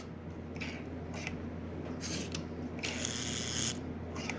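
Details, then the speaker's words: Marx 999 toy locomotive motor in very poor condition, first power-up: low electrical hum with rough scratchy buzzing as it strains; oxidized brushes and armature barely letting it turn. "now these brushes and the armature are covered in oxide you hear it's beginning to buzz"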